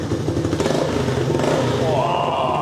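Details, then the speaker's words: 1985 collector three-wheel motorcycle restarted after sitting for years, carburetor unclogged, no working choke: quick even thumping at slightly raised idle that nearly holds, with exhaust pops; won't restart warm without choke. "Oh, comme il est énervé. Oui. T'entends comme il tourne. Ah ouais. Comme au premier jour. Il pète."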